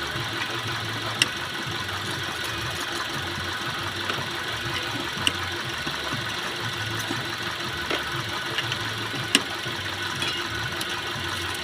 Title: Car Engine Misfire Problem #carmaintenance #cardriving #satisfying #automobile